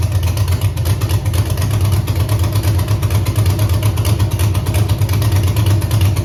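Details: Camaro with Holley EFI 5.3 LS V8, closed loop off, wideband suspected: lumpy, uneven idle pulse about three times a second; one cylinder weak or misfiring; cause unconfirmed.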